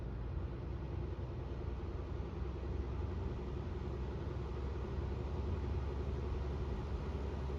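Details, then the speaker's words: 1997 Honeywell HW-612 12-inch reversible window fan on high: low, even rumble barely gaining speed, motor running slow, almost no spin-down; also very weak on low. "just give it a few seconds and see if it picks up speed kind of sounds like it's gaining speed not much though"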